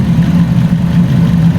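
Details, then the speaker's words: Fiat 500 just after a DIY timing belt replacement, running while the cooling system is bled and warming up: strong smooth quiet low hum at steady idle, no ticking, rattle or hunting. Normal idle. "But she's burning like a kitten. Gotta admit, that's really quiet."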